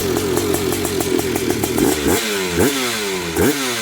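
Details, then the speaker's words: High-compression two-stroke with HPI ignition, 178 main jet, air screw 1.5 turns out, slightly rich, VR8 EIX plug gapped 0.018 in: crisp ringing idle then three clean throttle blips; runs healthy. "Whew, my God, that sounds good. Love this thing."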